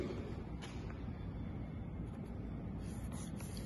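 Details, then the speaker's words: O General 3.75-ton ducted split AC at full fan speed, supply air from linear bar grilles: steady, soft low air rush with no tones, rattles or whistles; normal. "على السرعه القصوى طبعا صوت الهواء على السرعه القصوى المفروض تصميميا يكون طالع عندي صوت طبعا غير مزعج ضمن الحدود"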